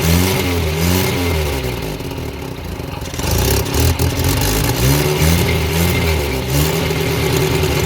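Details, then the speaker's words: Abandoned Morris Minor started after a fuel leak was fixed, with a jump pack and choke: engine catches and revs up and down cleanly with a steady low throb between blips, no knocks or misses. Runs well. "Right. Got it going. Runs well."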